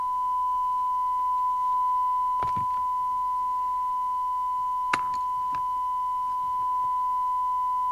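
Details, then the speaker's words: 1988 DNT Transit 40 UK FM CB radio, after a no-receive fault was fixed by cleaning corrosion and resoldering: a test tone with a slight buzzy edge, its sound changing with the S-meter adjustment. The distortion's cause is not found; the detector is to be checked. "I'm going to check the detector. I don't like the way that sounds."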